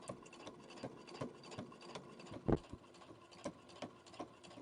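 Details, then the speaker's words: Brother Innovis A150 sewing machine through 6 layers of denim at 4 mm stitch length: regular dull thump on every stitch, about three a second, yet feeding smoothly with good stitches; thumping needle penetration under heavy load. "Okay, so this is 6 layers of denim. I'm still on the 4 mil stitch length. It's a bit thumpy."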